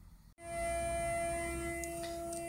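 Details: Morningstar SunGuard SG4 PWM solar charge controller charging a battery from a 12 W amorphous panel, heard on an AM radio: as the sun returns, a steady buzzy hum of about 300 Hz starts suddenly over the hiss. Normal pulse-width modulation.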